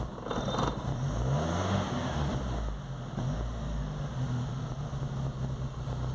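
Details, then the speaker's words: VW Gol/Saveiro with morning hard-start complaint, tested with engine temperature sensor reading altered externally: starts at once and revs cleanly, rising and settling without hesitation or misfire; small temperature-signal difference changes how it runs. "vou ligar o carro você vê como o carro pegou vou acelerar você vê o carro rasga Limpo"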